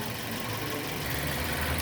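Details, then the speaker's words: 2006 Nissan Y11 AD, QG15 e-throttle engine, returned from scan-tool VVT actuation to normal idle; intake valve timing sits between 0 and 1 degrees. Steady, even idle with smooth low rumble, no knocks or misses: normal idle. "Right, so I'm going to come out of this mode so the vehicle could idle normal, and we'll see where it sits at normal idle operation."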